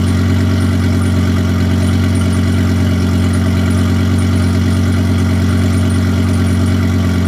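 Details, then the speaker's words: Turbocharged all-wheel-drive car with tune needing work and AWD malfunction warning, at idle: faint irregular light metallic jingle from the rear; owner suspects the turbo hot side, cause unconfirmed. "that jingling sound sounds like it might be a turbo or something in the actual like hot side of the turbo"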